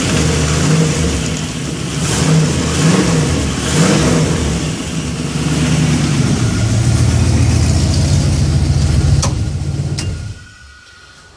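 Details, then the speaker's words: BMW E36 with 5.3 LM7 V8 swap, tune reprogrammed to read the BMW differential speed sensor so idle is controlled, after previously not idling: deep, even burble, clean rev blips settling to steady idle; owner suspects stuck oil rings from smoke. "because i guess the computer needs to know whether the car is moving or not to adjust the idle so i wasn't idling yesterday but today come on baby look at"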